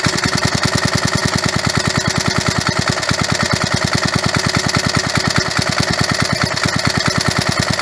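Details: Roughly 37-year-old (about 1985) 3.5 hp Briggs & Stratton single-cylinder mower engine, started with carburetor cleaner. Fast, even pulses of about three per second hold steady with no stumbles; running healthy.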